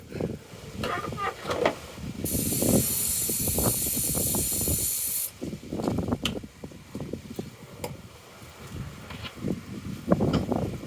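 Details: Corsa B sat 4-5 years, new battery at 12.1 V: uneven cranking bursts with long hiss between, then brief catches when fuel introduced through intake; spark confirmed good, no start due to fuel delivery fault.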